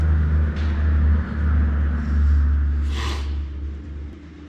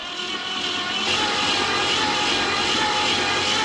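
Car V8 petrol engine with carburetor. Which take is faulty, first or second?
first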